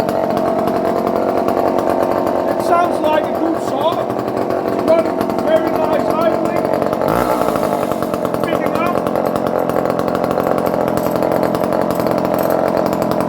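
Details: Barn-find Dolmar 118 Super chainsaw, around 1970s, no chain brake, first run after checking compression and adding fuel: steady high-pitched scream at high revs, clean and even without bogging or sputtering; running healthy.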